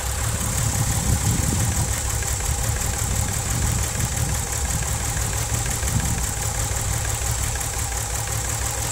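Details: VW VR6 12V idling with misfire on cylinders 2, 3, 6 (mostly 3) despite new coilpack, plugs, wires, coolant temp sensor, purge valve; uneven lumpy beat with occasional stumble under steady drone, engine shakes, check engine light blinks.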